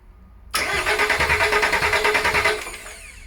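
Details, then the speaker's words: VW LT35 van diesel, laid up four years, cranking after a new starter motor was fitted, ignition off: strong, even cranking at about three compression beats a second with no grinding; healthy starter, normal cranking. "so now we're going to try it and see if it finally turns over fingers crossed"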